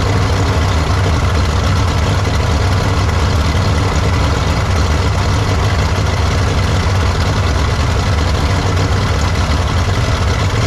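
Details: 1953 Studebaker Starliner, off the road possibly 45 years, old original-looking plugs, wires and points, first start after cooling refilled: deep steady rumble with no misses or knocks, idling fairly evenly; normal idle, no leaks seen.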